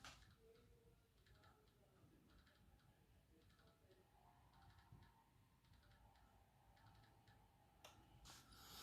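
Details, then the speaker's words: Motor of a new Hornby Class 67 Pullman model loco, no decoder fitted before, ticking faintly in short regular clusters while the decoder is programmed on an ESU ECoS command station; normal motor clicking, nothing wrong. "that little clicking you can hear guys is actually a loco there it's the motor doing that that's what the clicking noise is"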